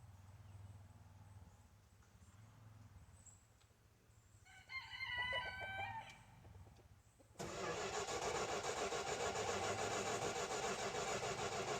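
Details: 1971 Dodge Dart 318 V8 hard start: several seconds of faint, drawn-out cranking, rooster crowing outdoors, before it catches and roars; choke not yet in the right position.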